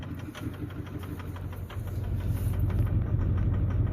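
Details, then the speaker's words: 2009 Ford F250 with 6.4 Powerstroke diesel, cold: uneven, skipping idle lope at about three beats a second with fuel-reeking smoke; misfire blamed on the #7 injector, which was then replaced. "But I promise you, something was not right, and it was wanting to skip."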